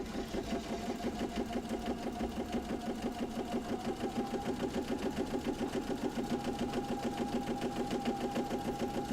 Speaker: And I'm just going to go all the way around the remaining portion of the pocket.